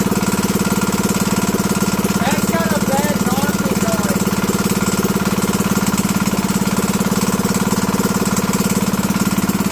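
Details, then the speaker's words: Predator 212 (GX200-type) engine running with the entire piston skirt cut off: a fast, even single-cylinder thump with a clattery metallic knock at steady speed, then revved. "I don't know if you can hear it in video but there's a knocking yeah you can hear it right about there or somewhere"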